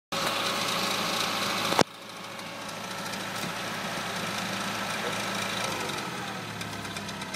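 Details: DS3 THP 155 with 1,200 km on the odometer; idling engine with light uneven ticking over the hum, a few taps a second; abnormal engine noise at idle, cause unknown.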